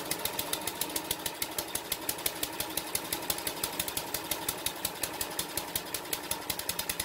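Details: King O Lawn edger, 2 hp horizontal-shaft single-cylinder engine after carb clean, re-jetting, oil and air filter change, drill-started: runs on its own at an even quick popping beat, about six a second, no misses or stalls; normal running.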